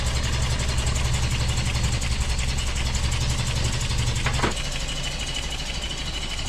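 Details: 1988 Toyota 22RE after head replacement and new fuel pump: an uneven, lumpy idle that pulses irregularly and then dips; distributor installed one tooth off, so ignition timing was wrong.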